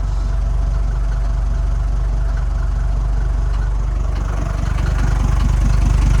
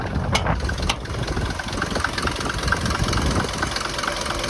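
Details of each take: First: Mercedes T1 310D van, OM602 diesel, known compression leak making starting harder: low, even diesel clatter at steady idle with no knocks or misses, smooth and fairly quiet; normal diesel idle. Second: Mercedes T1 310D van, OM602 diesel, after engine removal and top-end rebuild, driven on road: light regular ticks over rough diesel idle; injector tap still present, less smoky than before, exact source unconfirmed.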